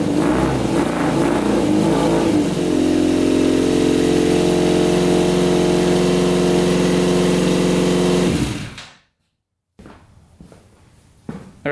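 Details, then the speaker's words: Custom 100 hp Yamaha Banshee two-stroke, before carburetor cleaning: harsh uneven buzz that revs and holds before cutting out; two middle cylinders suspected not getting fuel from a stuck carburetor needle; misfire. "we're having a problem with the two middle ones obviously i think they're not getting gas so i'm guessing maybe the needle is stuck in the off position"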